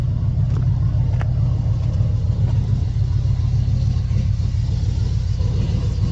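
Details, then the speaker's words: Small-block Chevy truck after swapping a poorly running Edelbrock for a Holley carb taken off a 355: deep, steady, even rumble with no stumble or miss; smooth healthy idle, runs better than before. "How many How many years has this truck run that [ __ ] I don't know. But to me, it run that [ __ ] Maybe it's me. It run like Now it runs better."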